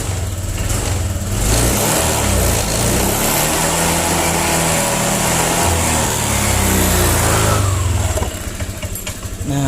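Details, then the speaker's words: 2020 Honda Vario 125 after a hesitation repair with an ignition-key reset procedure: it revs cleanly from idle and pulls smoothly with no stumble, then settles back; more responsive than the earlier stuttering. "Oke, daya yang dihasilkan lebih responsif daripada sebelumnya. Tadi sangat tersendat-sendat."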